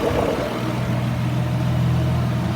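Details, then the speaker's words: Ford Probe GT after new VMS plug wires and NGK Iridium IX spark plugs, warm after a drive: a smooth, steady idle with a constant low hum and the radiator fan's rush on top as it kicks on; normal. "Car started right up. Took it for a drive. Chilling. As you can hear, our fan just kicked on."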